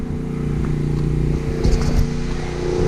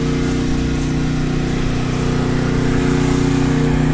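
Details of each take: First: Generator powering a house after a hurricane: steady low drone with a faint uneven rhythm and slight sag, labouring under load. Owner suspects the hot water heater is drawing the load. Cause not confirmed. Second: Backup generator powering a house during a Hurricane Ida outage, with a hot water heater load suspected: steady, even drone with a smooth low hum, no hunting or surging; running normally.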